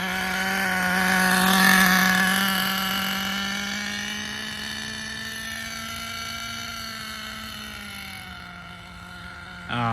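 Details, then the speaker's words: Schumacher Menace nitro RC car on last of the nitro fuel, not yet tuned; high buzzy idle with wavering pitch that sags and recovers unevenly, owner thinks it needs tuning: rough idle. "Right now it's just idling. It's not perfectly set up to this, so that was just idle. That's what it's doing right now."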